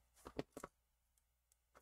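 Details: Logitech MX Master 2S mouse during repair of an intermittent frozen cursor; a handful of crisp, even clicks in a quiet room, each press snapping cleanly: normal mouse button click.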